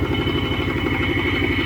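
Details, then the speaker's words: 1979 Trans Am 403, first run in over 5 years, dropping a cylinder: loud, fast, even ticking clatter over a rough idle. The owner suspects lifter noise and a rod knock. "well it's running but it's running like crap uh I think it's uh bunch of clattering from lifters and I think the rod"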